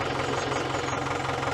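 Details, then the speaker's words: Auction diesel tractor with clutch not working, running in gear: rough rumbly grinding under steady engine, no gear teeth noise; suspected worn clutch release (thrust) bearing. "I can't you hear you hear the touch that rumbly grinding noise your thrust bearing. It's a thrust bearing."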